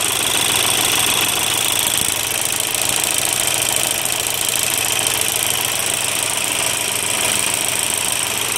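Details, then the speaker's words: Idling Volkswagen diesel: sharp fairly regular knock about three times a second over bright clatter, from a broken spring in the injection pump; pump to be removed for repair. "yeri kırılınca bu şekilde ses yapıyor."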